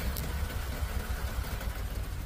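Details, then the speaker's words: 2016 Toyota Tacoma with check engine light on, idling deep and lumpy, engine shaking hard; codes P1605, P0300 random misfire, cylinder 5 flagged, attributed to worn spark plugs and failing ignition coils. "Aquí tenemos una 2016 Toyota Tacoma que tiene a la luz del chickening prendida y tiene random fire. Como pueden ver ahí el motor está temblando mucho, miren."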